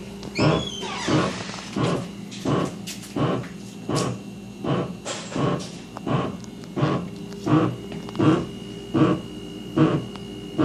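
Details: Steady, evenly spaced low grunts, a bit over one per second, in water pipes in the wall just after the main shutoff, occurring after taps close; cause was an underinflated water heater expansion tank, fixed by adding air.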